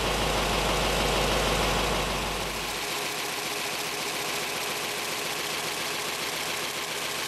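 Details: 1917 Cadillac convertible, original except engine fully rebuilt: even, quick ticking beat settling into a smooth steady idle after start; sounds healthy.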